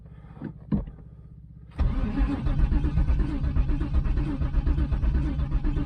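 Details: 1996 Pontiac Trans Am, LT1 5.7, bought as a non-runner said to have no spark or fuel; with a fuel pump just hooked up and a new filter, the starter turns the engine steadily and evenly but it never fires: cranking no-start.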